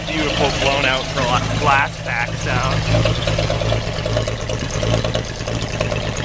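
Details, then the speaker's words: 1946 Chevy 2-ton cab-over, 235 inline six after head rebuild, first run in years: deep rumbling idle through loose glass-pack exhaust, a touch fast but smooth and steady; normal idle. "we got the old tur 23 235 running idle's good kind of a high idle see get a shot of the exhaust note here it's got that beautiful"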